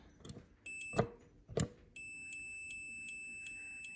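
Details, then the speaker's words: Amana/Whirlpool dryer that won't turn on, front panel off, start switch wires disconnected, meter probes on its terminals: steady beep when the button is pressed shows continuity; start switch is normal. "It has continuity. That means there's no break in the circuit and it's working fine. So that's not the problem."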